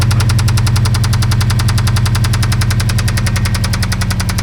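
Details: Knackered Subaru Impreza WRX with boosted engine, needing a new engine: heavy, regular rod knock about three and a half times a second over low idle rumble.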